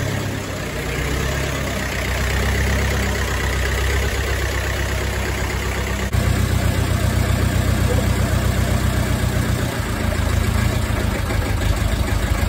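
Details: Ferguson TEF20 tractor diesel, running after 30 minutes of bleeding air from the fuel system following a year of sitting and no-start: steady low slow even idle chug, regular firing, no misses or knocks; healthy normal idle.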